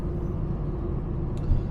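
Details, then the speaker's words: 1972 Rover 3500 P6 V8 with a BorgWarner automatic, a barn find off the road for 12 years, after the filter was replaced, about 5 km into a 10 km test drive: a steady low drone, no whine, smooth shifts. Normal transmission operation. "So far, the shifting is silky smooth. We're a little over halfway my test drive route, which is about 10 kilometers. So 5 kilometers in, shifting's really smooth, and it wants to downshift and everything."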